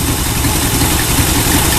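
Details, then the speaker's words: El Camino 350 V8 with 500 CFM Demon 2-barrel carb, previously clogged by old ethanol gas, started without starting fluid: deep, steady rumble with an even beat, no misses or knocks; normal idle. "Didn't have that ethanol shit in there. Yeah, that's idling all right, man."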